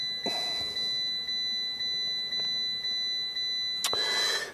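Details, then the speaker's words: Fiat 500 after ECU reconfiguration via Multi-ECU Scan: two-tone beeps repeating about twice a second without stopping; seatbelt warning chime stuck on, airbag suspected, stopped during proxy alignment. "It's like an alarm going off, you know, a burglar alarm or car alarm"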